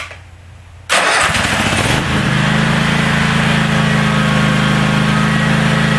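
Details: DR all-terrain brush mower, 17 hp Kawasaki, after carburettor cleaned: quiet, then catches within a second with no choke and settles straight into a steady, even idle; running clean.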